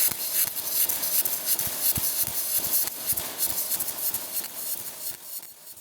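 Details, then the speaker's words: ARCPEX MIG200 welder arc: harsh, hissing sound with irregular sharp pops like frying chicken, meaning voltage is set too high for the wire speed. "If your machine sounds like this, that's a sharp angry spot. Like frying chicken to heart. That means your voltage is high. for your wire speed is the low."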